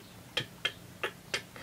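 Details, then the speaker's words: 1940 Sessions elephant electric clock with an early Sessions W2 motor, after case refinishing: light, sharp metallic ticks about three per second as the metal rotor turns, then the sound stopped; not too noticeable, cause unconfirmed. "It was making that sound, then it just stopped. It wasn't a bad sound; it was not too noticeable, but a sound nonetheless."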